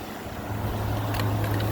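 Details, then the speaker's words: A 2014 5000 BTU Frigidaire window AC, unused 5 years, on high cool while building head pressure: a low steady hum with even fan rush and no rattles. Coil 53, condenser 64, lines sweating, and the compressor runs normally and quietly, ice cold. "Let's let it build some head pressure here. A quiet compressor. That is ice cold."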